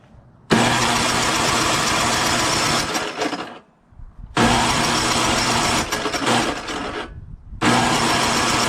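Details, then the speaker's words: Craftsman 5.5HP 24" two-stage snowblower with low compression suspected, started on the electric start after priming, on choke at high throttle. It fires and runs about three seconds, sags and dies, then restarts twice; the engine stalls off choke. "so i'm going to prime it a couple of times it's on choke high throttle here we go put it to run and it just slows"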